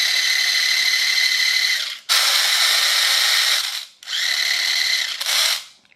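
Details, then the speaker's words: Chicco Jimmy Thunder toy RC car being converted to hobby grade: three bursts of high, thin motor whine spinning freely with no grip. The gearbox's protective clutch slips again after being tightened and briefly fixed. "got it all back together had it running for a little while and then it started slipping again"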